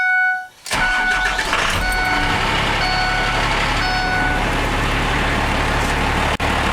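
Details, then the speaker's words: Ford F450 after a 12-valve Cummins diesel swap, idling with the clutch pedal pressed: a busy idle with an extra rattle over the engine, from the clutch centre plate, not the transmission. Clutch disc noise at idle. "One thing I'd like to point out, you can hear that noise. I've got my foot on the clutch. That noise, you'd think it's the end. You'd think that it's a transmission, but actually it's that that center plate in the clutch making that noise."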